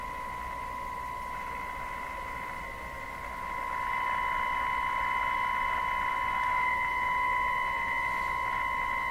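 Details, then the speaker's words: Nordmende Turandot tube radio with alternate tubes fitted and tone buttons disconnected, fed a test signal near 900: steady tone turns harsh and buzzy with harmonics as volume rises, worsening; output distortion, output tube grid potential suspected. "Sounds distorted to me. Like I hear some harmonics in this signal."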